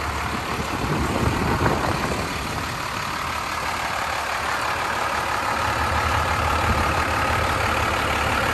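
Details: 1993 Dodge Ram W-350 4x4, 12-valve 5.9 Cummins intercooled diesel, automatic four-speed, 51,414 original miles: smooth even diesel clatter at steady idle, no skips, knocks or surging; normal healthy idle.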